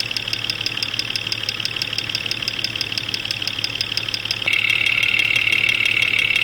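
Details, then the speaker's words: Jeep XJ Cherokee 4.0L, 175,000 miles, intermittent knock mostly when cold, heard via electronic stethoscope on injectors: sharp even tick about three per second over idle, loudest at cylinder 5; cause suspected, not confirmed. Engine knock. "Number 5 cylinder is quite loud. We're going to pull the number 5 spark plug wire off to take the load off that cylinder and see if that has an impact on the noise."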